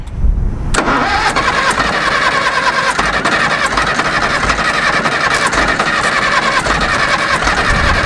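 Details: Caterpillar D4 7U dozer with HT4 Traxcavator loader, revived after years in a pasture, first start after fitting a new starter and solenoid; short crank, diesel catches straight away and runs steady and even: normal start.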